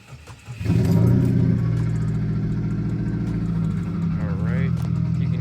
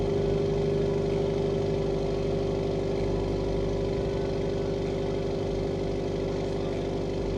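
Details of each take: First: Subaru WRX FA20 2.0L turbo at startup, one fuel injector stuck open (found wet): engine catches and settles into an uneven, lumpy misfiring idle; Cobb Accessport shows abnormal air-fuel correction; fix is injector replacement. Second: Subaru WRX FA20 2.0L turbo after replacing injectors (one stuck open), running injector cleaner, relearning idle with a little smoke: smooth steady idle with an even beat and constant hum; normal idle.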